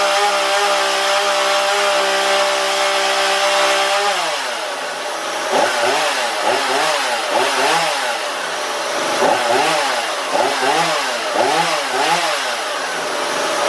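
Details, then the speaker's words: Husqvarna 235e/240 chainsaw being carb-tuned by ear without a tachometer: held at full throttle with a clean high scream, pitch wobbling and warbling as the high-speed screw is turned; turned up it leans way out and the flutter disappears, backed off the flutter returns. Lean high-speed mixture. "I hope y'all could hear that in that exhaust it's really hard to explain that to somebody but there's all you turn it up you'll hear that thing lean way out and that flutter will go away when you back it off you'll hear it come back"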